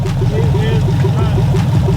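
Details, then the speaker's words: 1972 convertible, LS-swapped, first start after seven years parked: a loud, lumpy V8 idle with a steady low throb and no obvious knock, smoking a little; cause of smoke unknown. "it's smoking a little bit but yeah"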